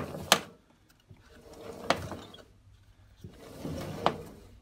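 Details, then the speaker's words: Indesit Innex XWA71451W washer (7 kg load, 1400 spin, possibly about 10 years old), belt refitted and drum turning: a slow grinding rumble with sharp clunks about every 1.5 s and the belt tracking off the pulley; bearing inner race completely collapsed. "right so it sounds awful watch the tracking of the belt"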